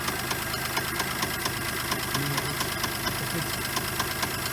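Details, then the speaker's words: Geo Metro small three-cylinder at idle, alternator running hot, earlier squealing: sharp, fairly regular deep knock about twice a second riding over the engine; unsure whether accessory or motor, sounds like the motor; rod knock suspected, not confirmed. "Is that an accessory making that noise, or is that the motor? I'm not sure. It sounds like it's the motor. Can't be good."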